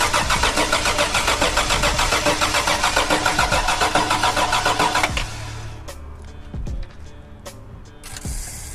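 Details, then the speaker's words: Toyota 4Runner first start attempt after the build: slow, labored cranking at only 9 volts for about five seconds, never catching; no spark found, ignition coil dead. "All right, so it's turning over. It has 9 volts on crank, and it's not firing."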